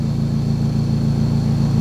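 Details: 2006 Suzuki Swift GL CBU, 4-speed automatic, stationary at about 900 rpm with the AC compressor running, vents cooling to about 26.7 °C: steady low hum with even unbroken pulses, idle held fine under AC load.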